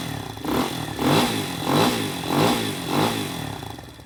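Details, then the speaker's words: Spark SP250 (166FMM Loncin RE250) single at about 3500, after a valve adjustment with 0.05/0.06 feeler gauges, started briefly on choke: about five quick throttle blips rise and fall cleanly with no ticking or clatter. Normal running, valves fine. "Все зібрав, все працює. Клапани з поршнем не зустрілись."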